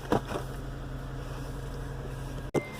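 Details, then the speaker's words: 2008 Acura TSX 2.4 diagnosed for a misfire by swapping ignition coils: after a new coil is fitted, the engine idles with a steady, even low hum and no stumble, with all four cylinders firing evenly. "el motor está prendido siguiendo el número uno el dos el tres y el cuatro lo mismo"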